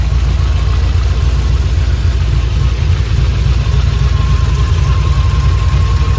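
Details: 3V Mustang GT 4.6 V8, newly installed engine with new clutch, flywheel, headers and the original Steeda underdrive pulleys, first start: steady even idle with deep smooth burble, no knocks or misses; normal idle, runs healthy.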